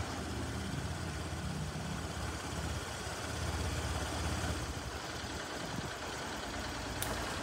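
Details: Honda Lead scooter after an accident; single-cylinder steady idle with even beat, no knocking or rattles, normal idle.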